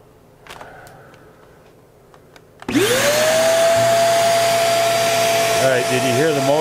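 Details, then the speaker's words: Hoover REACT Professional vacuum whose power-head brush cut out, now with the floor-sensor pins on the motherboard jumpered: motor spins up to a steady high whine with constant airflow; the brush drive now runs normally. "so I jumped that in the floor sensor works the the brush comes on here we'll fire it up"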